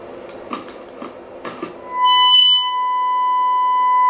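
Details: 1937 Telefunken Torn.E.b. WW2 radio receiving a generator test tone at 749 kHz, the center of one band: after tuning clicks a clean, steady tone comes through; normal reception on this band.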